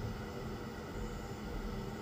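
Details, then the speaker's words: Worcester Greenstar 40CDi Heatslave boiler with an intermittent EA fault, after ignition electrode replacement and reset: steady, even roar of a lit burner with no pops, flutter or cutting out; flame holding, fault fixed. "and Y it's holding green light so it seems to be working perfectly fine so yeah that's it that's all fixed"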